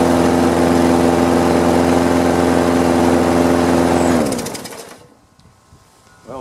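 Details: Free Craftsman lawn mower after carburetor cleaning: small engine runs steady and even at a fast regular beat about four seconds, then shuts down; healthy.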